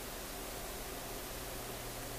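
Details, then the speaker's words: Sonora RQU-222 six-tube radio during oscillator and antenna alignment, just switched on and warming up in a very cold room: steady hiss with faint low hum, no station; owner suspects an intermittent that shows up at first turn-on. "Oh, radio of nothing again. I thought it was this one. that intermittent that shows up when you first turn it on."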